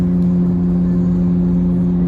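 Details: Car bought at UK auction, at about 60 mph: steady, even low drone without pitch change, possibly a worn wheel bearing growling under load.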